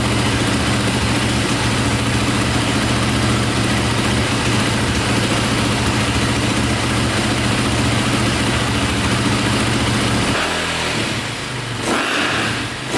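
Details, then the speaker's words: KTM 450 single-cylinder dirt bike, likely dual sport, just after carburetor fix: firm, steady idle thump, note changing near end; owner hears a click at shutdown, suspects one-way bearing; normal idle. "what's good so far see if she fires right back up sounds good"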